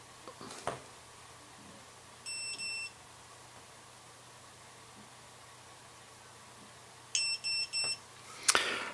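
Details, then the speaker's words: ViFly Finder Mini lost model beeper, switched on by removing the battery with telemetry lost: faint short high chirps, a pair then a triple, over room hiss. It then reached a measured peak of 95.8 dB. Normal chirp mode. "When I was listening to the little chirping, it didn't sound like it was going to be loud, but when it came on, 95.8 decibels. Certainly not quite as loud as that one, but pretty damn loud."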